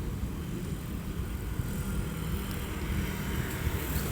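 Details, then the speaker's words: 2007 Honda Civic while driving, after a loose front plastic trim piece was secured with zip ties: only steady low road and engine hum, no buzzing or rattling from the front end; trim rattle fixed. "Aí eu coloquei os enforca-gato, deu tudo certo."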